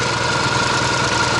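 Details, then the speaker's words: Ural sidecar motorcycle boxer engine idling at a stop on a cool day after a ride; faint uneven intermittent tapping, owner plans to check valve clearances when fully cold, suspects a bent pushrod; engine knock at idle. "надо будет когда полностью остынет двигатель проверить все таки зазоры на клапанах возможно эта кривая штанга"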